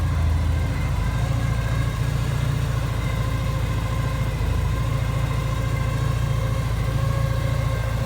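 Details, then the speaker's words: Porsche 944 at idle: a steady low idle with an uneven, wandering lope. A new whine from the motor was not there before, and the temperature gauge reads fine. Rough idle, cause unknown. "But listen to that. It's like jumping and missing. Oh, not missing, I don't know what you call it."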